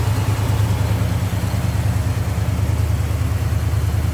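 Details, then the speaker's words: 1969 Plymouth Roadrunner with numbers-matching 383 V8, new carburettor, 727 three-speed automatic, heard under the hood: deep, even burble at a steady idle with no misses, knocks or ticking, a smooth lope; normal healthy idle. "See how smooth that 383 V8 runs."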